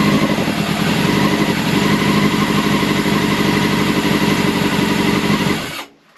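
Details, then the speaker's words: Old Honda CBR600 track bike on choke: uneven, lumpy idle with a ragged beat that fades and dies; owner suspects gummed-up carb idle jets needing cleaning. "the carb's gonna have to come off and be cleaned out because obviously the idols whatever they're going to be gummed up"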